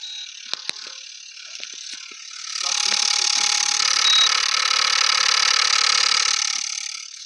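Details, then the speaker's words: Induction cooktop, after switching on supply and pressing function: fast, regular ticking rattle about four times a second over a high whir and heavy humming; cooling fan bushing worn, fan needs replacing. "देखिए, तो इसमें जो cooling fan लगा हुआ है इसका जो bushing है वो हमारा ख़राब हो चुका है।"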